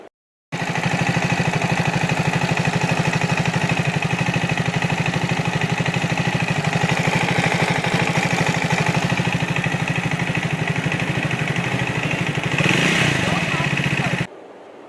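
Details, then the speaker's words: Brand-new Triumph Speed 400, about 15 days old: a light, regular tak-tak top-end ticking over a steady idle that grows the more it is ridden; shim or timing chain noise is suspected, not confirmed. "जो मेरा problem था, main problem था मेरा वो noise, टक टक टक टक करके एक नॉइज़ आता है, जो बहुत कान में लगता है जब चलाते हो बाइक।"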